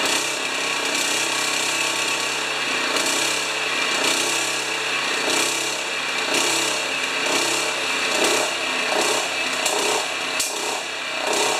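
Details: Honda HRA214 self-propelled choke-start mower, previously worked on, after fixing choke and throttle linkage; harsh buzzy engine swells and sags about once a second without settling; owner unsure if rich or lean, running lean.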